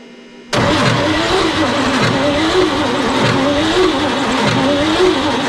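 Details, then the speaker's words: 1955 Chevrolet Bel Air running after 30 years in storage: uneven run with a light, repetitive ticking on top; source not pinned down. "I still hear the rick, rick, rick. We're gonna cut the alternator belt, generator belt."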